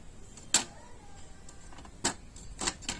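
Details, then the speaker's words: Epson EcoTank L3150 with poor print quality from clogged nozzles, doing manual nozzle cleaning with start light blinking: faint irregular soft clicks with a brief low whir at a quiet level; normal printhead cleaning cycle. "So as the manual cleaning of the nozzle head continues, you're gonna continuously hear this sound. It's a bit noisy, you know, but not overly."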